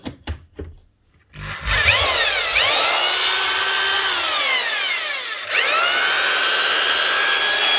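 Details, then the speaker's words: 1992 Spit 321 SDS drill, about 30 years old, after fitting a replacement Bosch lead: handling knocks, then the motor spins up to a high whine, eases off and picks up again smoothly; the new lead was all it needed, it runs normally. "what about a 30-year-old spit SD asro up and running again with just a new lead if that doesn't show that older machines were simply built to last I don't know what would"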